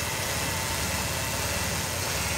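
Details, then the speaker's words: Ford Taurus 3.0L V6 at about 193,000 on the clock, idling; uneven lumpy idle stumbling now and then, engine missing, vacuum leak suspected. "it sounds like it's missing a little bit could be a vacuum leak"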